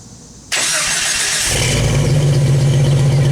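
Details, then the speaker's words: 1991 Jeep Wrangler YJ after a catalytic converter delete and a new two-chamber Flowmaster-knockoff muffler, replacing one with a rattling loose baffle, with the seams welded: steady, deep, even idle, a bit loud, no rattles or exhaust leaks. Normal exhaust note. "yes not too shabby it's a little louder than i really wanted it but hey it's okay i'll live with that"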